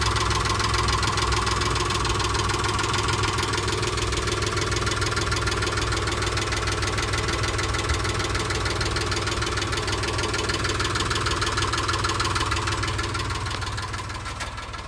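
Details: Mitsubishi Montero at idle: steady rapid tick about three a second keeping pace with engine; owner unsure whether a stuck valve lifter or piston slap.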